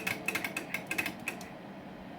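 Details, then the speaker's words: SSB switch on 8-pill amplifier: rapid string of about a dozen crisp relay clicks in just over a second showing the delay working, then quiet; normal operation. "you guys can probably hear it clicking in the background just showing the uh delay working"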